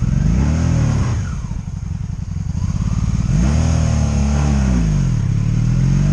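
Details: 2002 Honda Magna VF750C V4 during a rebuild, first warm test run running non-stop with no ignition cuts or bucking; transmission felt jerky. Pulls cleanly through gear changes, revs rising and falling evenly without cutting out. Smooth running.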